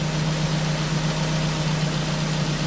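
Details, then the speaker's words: Ford Focus four-cylinder after fixing a rich misfire condition (faulty leaking sensor replaced, oil and plugs changed): smooth, even idle with no stumbles, fuel trim improved to about 14; misfire gone, normal idle. "the fuel trim is better now it's like 14"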